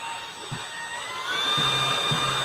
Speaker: all right so we've got some perfectly balanced fans so let's see what those sound like first